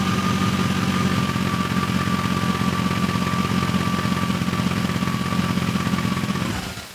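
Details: BMW E31 840ci with M62 V8 after a manual transmission swap and new 2.5-inch exhaust with MagnaFlow cats, X-pipe and Vibrant muffler. Deep, even idle rumble with a faint steady whine, no misses or ticks, clean shutdown; normal idle.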